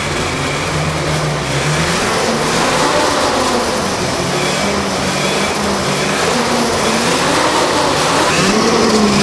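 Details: 1979 Ski-Doo Everest 444 liquid-cooled twin two-stroke snowmobile, first start in 3 years with fresh gas: buzzy steady even run, picks up cleanly with throttle, no stumbles or knocks; running healthy.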